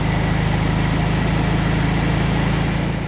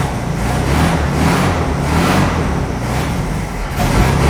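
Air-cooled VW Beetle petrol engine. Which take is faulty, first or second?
second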